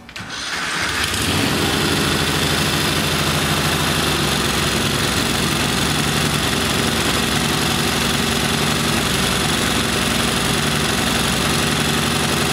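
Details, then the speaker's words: Kohler Command V-twin engine on a lawn tractor runs real bad and rich, as if on choke, and won't draw air through the carburetor properly. Carb tune-up and a new needle didn't help. Starts, then runs loud, lumpy and uneven. Cause: faulty camshaft compression release. "this tractor came in it ran it just ran real bad it ran real rich almost like the choke was"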